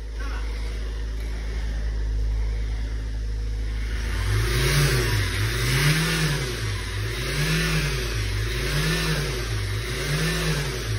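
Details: Tofaş with freshly rebuilt engine, in the workshop: smooth steady idle, then about five even throttle blips rising and falling cleanly, no knock or miss; healthy.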